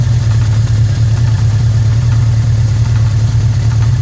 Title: 81' GS650G Engine Knock